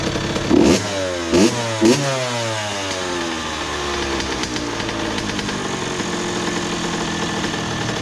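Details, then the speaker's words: 2001 Honda CR80 two-stroke, previously suspected of knocking, after idle screw adjustment: a few quick throttle blips, then a steady, crisp idle that holds evenly without hunting. A nice soft idle; the idle speed is correctly set. "now that's it right though yeah that's definitely it a nice soft Idol you know what I'm saying"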